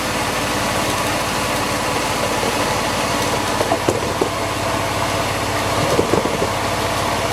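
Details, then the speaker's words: Porsche 911 (996) Carrera 4S after pulleys were swapped with parts borrowed from a 986 Boxster: the idle is slightly uneven because the MAP sensor and throttle body are off, but it is quieter, with no squeal or bearing growl. Normal belt drive. "now it's going to run a bit like that cuz the map sensor is off and the air thr is off but that does sound quieter back have a listen"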